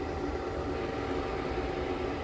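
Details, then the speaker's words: IcyBreeze battery-powered cooler: a soft, steady airy fan whoosh over a faint pump hum, with no rattles or rubbing; it blows nicely cool; normal fan operation. "oh yeah that's coming out nice and cool there's the high setting that's actually blowing really nice cool there"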